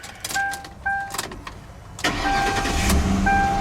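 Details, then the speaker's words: Grand Marquis project car, cold start: a few clicks and a chime, then it catches at once and settles to a steady idle with good oil pressure. Healthy cold start. "starts right up pop the hood for a second and uh has good oil pressure"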